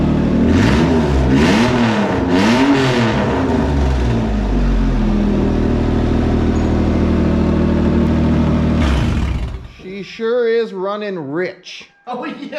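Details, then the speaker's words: 2001 Toyota MR2 Spyder with a swapped 1MZ V6 and a newly built custom exhaust, first start: it barks loud and raw with blips of revs; a rich mixture is suspected but not confirmed. "Fire it up! Beautiful! Great! Wow! That sounds awesome! Oh my God. Wow! That's loud!"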